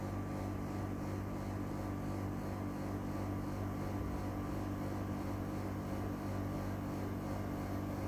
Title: NEW EUROPACE CASEMENT AIRCON EAC701W WITH LOUD NOISE (Recored from 4 m away)